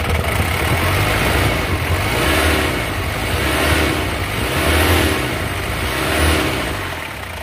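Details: 2003 Mazda BT-50 4x4, 2.5L turbo intercooled diesel (same as Ford Ranger TDI), conventional mechanical injection pump: steady diesel clatter with slow idle speed rises and falls, no knocks or misses; healthy idle.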